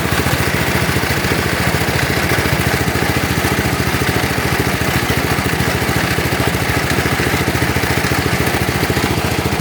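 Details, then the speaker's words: Lawn tractor, cold start on a cold day, idling: small single-cylinder with a fast steady chatter and scraping over it; the cooling fan broke off inside and rubs its shroud. "that's the cooling fan it broke off inside so I don't know why so that's why it's making that sound when it's running"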